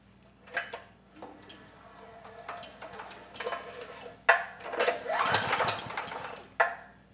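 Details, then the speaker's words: Storm Responder 6500 W generator (model 030728-00), engine sold as zero hours but producing no power, spark plug removed and carburetor drained, no compression; pulled over by hand: irregular ratchety pulls, no scraping, rotor turns freely without rubbing the stator. "I'm just going to pull it over I want to make sure it rotates easily and that I don't hear that rotor making contact with the stator"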